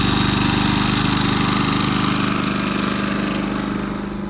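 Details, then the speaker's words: New Champion 3400 W dual fuel inverter generator, model 100263, on gasoline in econo-mode: steady drone with firm low hum and regular firing pulses, no misses or knocks; running smoothly. "step back about 25 feet there's 25 feet precisely measured and you and I can have a great conversation with it right there"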